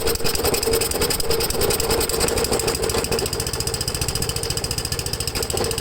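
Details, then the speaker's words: Ariens with Tecumseh 8 HP single-cylinder engine on a new HIPA 360 replacement carburetor, just started with choke at half throttle: fast, slightly uneven hunting beat. Owner suspects it is running lean, to be fixed by small turns of the high-speed mixture screw. "so to me it sounds like it's running a little lean so when you adjust the uh high speed mixture you're going to do it by the screw at the bottom of the ball but you're only gonna turn it a little bit at a time okay until it runs smooth"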